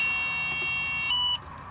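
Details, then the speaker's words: 1972 Pontiac LeMans with a 350 Pontiac engine and TH400, after sitting over a decade; a power probe feeding the starter solenoid emits a steady, piercing overload buzz for about 1.5 seconds; owner suspects the starter is bad, not confirmed. "oh power probe is pissed oh something"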